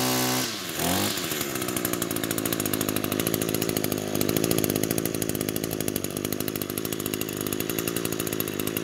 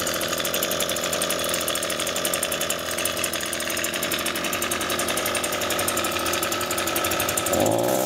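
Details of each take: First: Echo grass trimmer after repair of bogging: after a quick pull settles into smooth, even high-speed buzz with no bogging or surging; runs like new. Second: Echo two-stroke grass trimmer running poorly, before repair: uneven buzzing with a wavering pitch that sags instead of climbing cleanly. The engine bogs.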